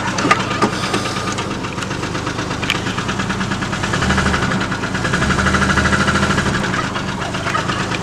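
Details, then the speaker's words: Red truck, finally started, idling in neutral; won't go into park: sharp, regular knocks about three per second over a rough idle, a loud engine knock whose cause is still unknown. "i finally got my truck running for you all you hear that noise"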